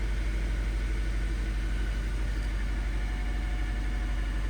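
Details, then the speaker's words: 2013 Nissan Sentra petrol engine idling in park with a low, uneven loping pulse about twice a second and shaking; scan tool misfire count points to cylinder one, coil packs and spark plugs suspected. "now I can feel that shake right now let me see pass misfire go to miss for account real time again"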